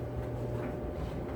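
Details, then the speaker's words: Kenmore 80 Series electric dryer after motor replacement, with wet towels, heat slowly building: a low, steady hum with even drum rumble and no knocks, squeals or scraping. Air is flowing and it runs normally. "Well, I can tell you right now, it's working because the air is flowing. It's running, yes."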